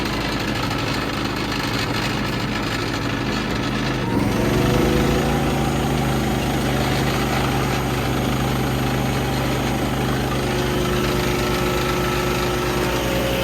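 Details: Harbor Freight Predator 3500 inverter generator at 984 hours, warm start with eco mode off: steady engine drone with a buzzy rattle on top from wrenches and sockets vibrating on a glass table; the generator itself runs evenly.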